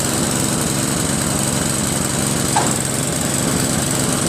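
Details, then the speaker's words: Craftsman 522 snowblower with Tecumseh engine, after tightening the auger belt/cable. The small engine buzzes steadily under load with no slipping or squeal, and the auger takes drive immediately. Normal auger engagement. "There we go. Immediate engagement. Yeah, that's what we're talking about right there."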